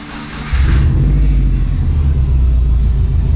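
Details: New engine (rebuilt bottom end, flat-top pistons, rebuilt factory heads with new intake valves) on a base map awaiting dyno tune, first crank: catches within a second, settles into deep, steady, even rumble, no knock or tick.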